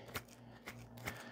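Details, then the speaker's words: Removed electric AC compressor from a 2017 Hyundai Ioniq Hybrid that cooled fine but ground horribly: rotor spun by hand gives rough, uneven scraping clicks about three times in 1.5 seconds; worn center rotor bearing. "yep there'll be no doubt this is exactly the very same problem that happens to most of the air conditioning compressor of the Nissan power cars"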